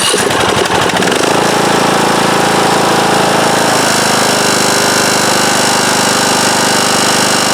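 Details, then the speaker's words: 2010-ish Craftsman mower, 19.5 hp Briggs & Stratton single-cylinder, medium to full throttle: loud buzzing vibration and rapid tapping over the roar, absent at low throttle; not sheet metal, it was loose flywheel magnets, fixed by re-gluing. "And it'll start and run, but it's making a loud vibrating tapping noise, and at first I thought it was maybe some of this sheet metal in there rattling against the side of the engine."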